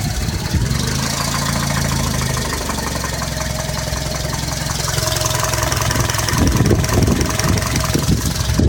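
Light, fast ticking at about three per second rides over a steady idle; a tick from the engine top end, cause not pinned down.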